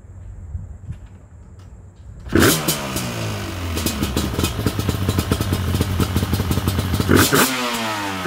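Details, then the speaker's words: Yamaha Banshee twin two-stroke quad with dual petcock rebuilt and carburetors cleaned, stock mufflers: fires after a couple of seconds, smoky, burbling and crackling unevenly under throttle blips, running a rich mixture. "oh she's smokey i got a real rich mixture in here good old reliable yes it's always good to hear the banshee run"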